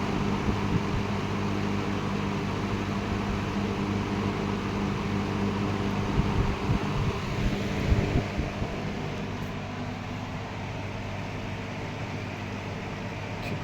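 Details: Late-1960s McGraw-Edison Eskimo 3-speed all-metal box fan on 120 V, running on high (1.6 A low, 1.8 A medium): steady, even low hum with smooth airy rush, no rattle or rubbing; healthy.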